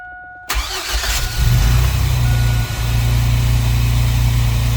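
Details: 2004 Chevy Astro 4x4, 4.3 V6 Vortec, at 44°F just after installing a new Brave X aluminum distributor: quick crank, catches at once, settles into a smooth, even low idle with no misses or ticking; normal start and idle.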